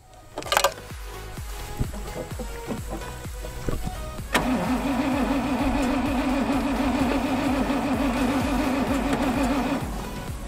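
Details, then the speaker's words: 1981 Rover SD1 3500 V8 that sat in a shed over 10 years: the starter spins it with a steady drone for about five seconds but it never catches; crank no start, fuel pump suspected. "okay so we still had no luck with that method so we had to switch back to the funnel we think it may be a fuel pump that is stopping the petrol from working its way up to the engine"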